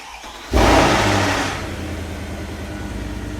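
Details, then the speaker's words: Mercedes E63 AMG with the M156 V8 on startup: it catches with a loud flare, then idles with a fast, light rattling clatter. Bad camshaft adjusters are suspected, or possibly the timing chain tensioner. "then you may have a bad timing chain tensioner or more likely bad cam adjusters."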